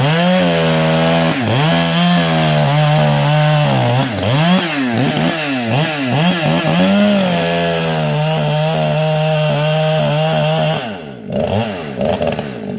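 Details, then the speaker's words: Modded 60cc Echo 620 chainsaw, widened-venturi 620 carb, high jet only a turn and a quarter out, idle turned up: full-throttle scream with slightly uneven, burbling break-up in pitch; four-stroking from rich high-speed mixture. "What was I doing before? Was it stroking a bit? Yeah, it was."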